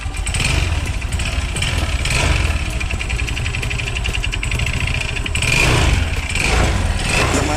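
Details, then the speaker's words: Yamaha Xeon RC 125cc scooter, suspected oil starvation, run with the drive belt removed: a rough, rattly knocking under the idle persists, placing it at the connecting rod, crankshaft bearing and piston. Rough bottom-end engine noise. "tanpa panpel dan bagian sip itu terpasang masih bunyi, itu dipastikan di bagian tengah ya, antara stang seher, laher kruk as, dan pistonnya ya."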